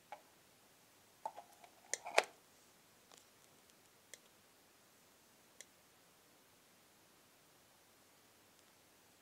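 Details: AC power adapter plugged in with no device connected, correct output voltage: quiet sharp clicks about once a second, getting faster when a load is connected; intermittent clicking while otherwise working fine.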